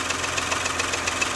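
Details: Porsche Macan S after timing chain and tensioner replacement, started with no fans: light, rapid tapping about seven times a second over warm idle once off fast idle; piston slap.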